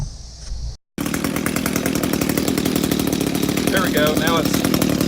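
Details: Echo GT 200R with new Zama carburetor, after turning idle screw in to raise low idle: steady even two-stroke buzz, no hunting or dying, good throttle response; idling properly now.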